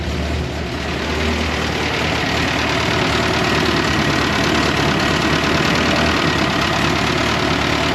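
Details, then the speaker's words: 1982 Fiat 124 Spider, freshly twice-rebuilt fuel-injected engine, first run after valve shims and timing adjustment, alternator not connected: even, steady idle with no knocks or misses, constant pitch; runs well. "we are running amazing look at that right out of the box oil pressure's off we don't have our alternator turned on no black man that sounds good"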